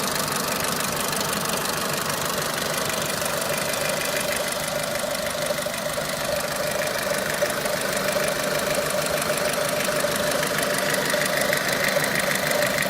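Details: Renault Clio 3 1.4 16V at idle: steady light knock about three per second over the engine note, cause unclear; engine knocking.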